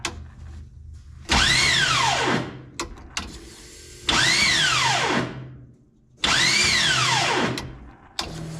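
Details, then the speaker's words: LS 6-litre mega truck engine, cranked after its blow-up, fuel pump confirmed working: three cranking bursts of about two seconds each, a harsh grinding whine swooping up and down, engine never catching. Faulty starter motor, later swapped for a different one. "Man, that starter sounds like hell. What the hell's going on down there? That's odd, but try it again."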